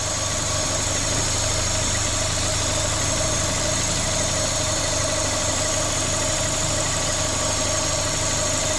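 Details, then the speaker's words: Corsa VXR idling with its engine replaced a week earlier, bogging on acceleration with the engine light on: loud constant hiss over a steady idle from a vacuum leak, later traced to a cracked cam cover. "Definitely got a vacuum leak. Right, so I'll just spray it with brake cleaner."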